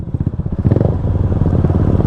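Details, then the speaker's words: Small scooter engine (Ruckus) sputters badly while riding, beat stumbling instead of smooth, revs jumping around 7,000–8,000; rider blames a jet that is too big, not confirmed. "I'm sputtering really bad can you hear it but that's that's the jet it's too big"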